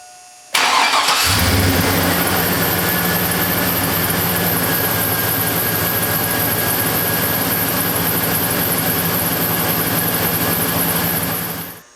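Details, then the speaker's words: 2000 Silverado 1500 Z71 5.3 V8 with all rotating parts new except the crank pulley and alternator, but the belt unchanged: a steady high squeal rides over the idle. Serpentine belt squeal. "okay the squealing is still there um I'm baffled everything that rotates is brand new except for the crank uh and the alternator"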